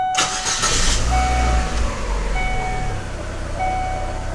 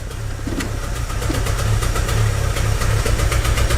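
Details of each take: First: 2006 Chevy Aveo after plugs, wires and coil replaced, vacuum leaks checked, EGR and IAC valve cleaned/replaced: engine starts and settles into a smooth steady idle, rpm not jumping, no audible misfire; previously rough idle with P0300 random misfire code. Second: 2006 Chevy Aveo with P0300 random misfire code: uneven, lumpy rough idle with pulsing drone and irregular ticking, worse in Drive, shaking and stumbling at stops without stalling; plugs, wires and coil already replaced.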